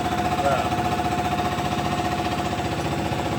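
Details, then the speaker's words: Detroit injector on a test stand at max power, staying at about 240 cubic mils within Detroit's 32-mil range: steady, even buzzing pulse about 2.5 beats a second; delivering cleanly. "Yeah, and like I said, Detroit, they give a really broad range Yeah. of 32 cubic mils, but this one's running really clean."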